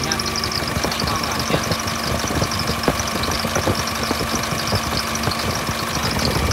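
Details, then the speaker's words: 2015 Veam truck with Nissan 6T5 diesel and stainless box, idling: a fast high cricket-like chirp over the diesel clatter, from the drive belt, said to stop when water is poured on; the engine is otherwise quiet; belt chirp at idle. "cũng khá là êm nha cả nhà là kêu dây Coro nha kêu như tiếng dế cả nhà nhiều xe cũng kêu vậy"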